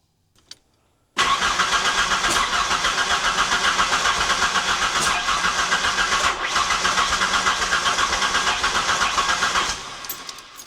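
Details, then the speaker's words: '91 Ford Ranger that still wouldn't run after a previous owner replaced coil packs, ICM, pump and ECU. Steady starter churn with sharp pops as it starts to hit; backfiring, with very faint spark, and it blows black smoke. "Okay, we got some backfiring now. We are hitting though."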